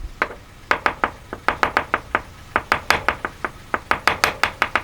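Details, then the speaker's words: Kia engine after oil change: sharp metallic taps, roughly four to five a second and slightly uneven; knock located via screwdriver at the bottom left side of the engine, probably not the tappets; cause unknown. "now we've changed that oil it's there's a definite knocking there now"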